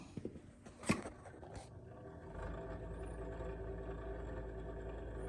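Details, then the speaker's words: Old Lennox furnace at startup: a few clicks, then a smooth, steady low hum rises after about two seconds and holds evenly; the inducer runs normally and the pressure switch closes. "Inducer is running. My pressure switch closed."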